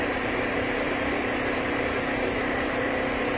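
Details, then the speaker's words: Cooling fans commanded on with a scan tool: steady low hum and faint whirring as the fans turn very slowly. They are worn and dragging, pulling well over 18 amps, and only start when the fan control module is smacked. "real quick so you can hear them fans running real slow got the i'll tell commanding them on and yeah they're completely wasted"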